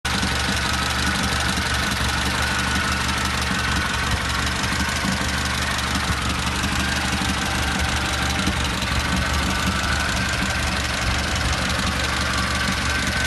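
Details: Volkswagen Golf at idle with fast, even light ticking from the top end over the engine hum; hydraulic lifters suspected, not confirmed.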